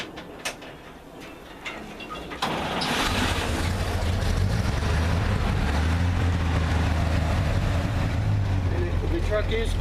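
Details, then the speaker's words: 1955 GMC 3/4-ton Napco 4x4 started cold without warm-up via its foot starter: starter catches quickly and settles into a steady, even low rumble with no misses or knocks; healthy cold start and idle. "right now I didn't yeah I didn't come out here and warm the truck up before we video uh it is cold so it it starts real good even when it's"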